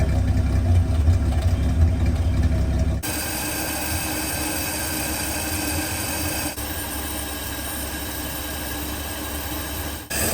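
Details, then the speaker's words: 1949 Studebaker Champion six-cylinder revived after storage, running on old gasoline after priming, cranking evenly: low lumpy idle with uneven loping stumble, smoking, small exhaust leak at the flapper; rough running on stale fuel. "Listen to that. Yeah, it's really grumpy on that fuel."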